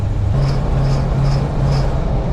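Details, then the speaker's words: Truck that ran hot while winching and loading an old cab-over: a loud, rough low rumble with a sharp tick about twice a second. Engine knocking; owner suspects plug knock or pinging, cause not yet known. "sounds horrible I don't know what's let go in and it almost sounds like it's plug knock and picking like horribly"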